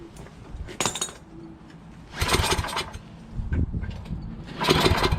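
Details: Yardman 8.5 26-inch dual-stage snowblower found disassembled, spark confirmed and starting fluid sprayed in; several separate pull-start bursts sputter and die between pulls before it briefly catches: hard starting.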